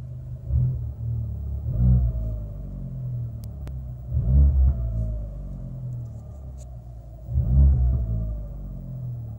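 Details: Fiat 500 Abarth cabin: engine rumble swells with each of three throttle pulls while a thin whine, louder than typical, rises and falls with speed; cause unclear.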